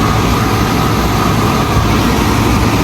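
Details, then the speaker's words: Portable air conditioner that kept shutting off, fitted with a replacement compressor and recharged to just over 40: a steady, even hum over the fan with no knocking or vibration, and the air blows cold. Normal compressor running. "Okay naman yung tunog ng compressor. Wala namang vibration. So goods na yan."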